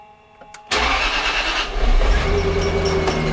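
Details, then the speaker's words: 1998 Jaguar XKR supercharged, start-up into a rough idle with a thin squealing whine on top and the belt slapping around; the belt tensioner pulley has seized and is chewing the belt. "let us fire it up here see what it sounds like oh that's not a happy sound how however you have a look down here see that belt slapping around in there"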